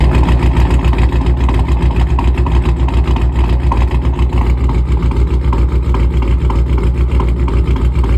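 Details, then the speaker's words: Supercharged Dodge RT Hemi with cam kit, tune and Kooks exhaust: lumpy idle with a regular exhaust dump thump three or four times a second; no check engine light, nothing dripping, exhaust not hanging; owner guesses supercharger, cause unconfirmed. "exhaust the exhaust is like um like it idle and it'll do like a dump noise"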